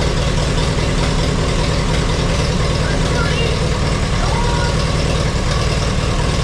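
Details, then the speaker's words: 1952 Allis Chalmers WD four-cylinder tractor, converted to 12 volt with 3 ohm coil, right after first start after sitting in the shed: low uneven chugging idle, sounds like missing a cylinder; owner hopes it picks up and plans a tune-up, points may need filing. "Hopefully it'll pick up that four cylinder here. Usually does. I I need to get this over to the shop and give it a real tuneup just to make me feel better."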